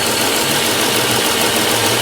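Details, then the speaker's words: 2006 Chrysler Pacifica, about 70,000 miles, codes P2308/P0303: uneven stumbling idle with a hissy rasp; cylinder 3 misfire persists after a new coil, no coil control signal on the coil wire. "I still have a misfire, and this one came back."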